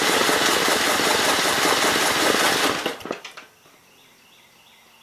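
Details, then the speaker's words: 1951 Gravely Model L 6746 with a Wico magneto and the fuel bowl missing, primed with fuel down the air cleaner: fast, harsh popping run for about three seconds, then it sputters and quits; carburetor problems suspected. "oh here we go so i do believe it'll run i would say we've got carburetor problems"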